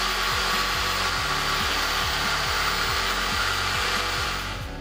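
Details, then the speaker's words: Cheap drill press, previously broken and repaired, used for drilling metal which strains its motor; rough whirring motor with rasping tick three to four times a second as gears not yet greased; gear noise from dry gears. "Saya belum sempat lagi nak sapu grease dekat dia punya gear ni. Jadi bunyi dia agak kasar sikit."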